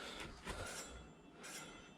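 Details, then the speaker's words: Samebike L026 version 2 e-bike, newly upgraded disc brakes, adjusting caliper while spinning wheel; disc possibly slightly bent. High scraping squeal swelling and fading each turn, reduced by pulling caliper top toward him: disc brake rub from misaligned caliper. "okay so you can hear this this is not that we don't want that let me undo the top one a little bit well there you go that stops that noise i'm pulling the caliper towards me from the top"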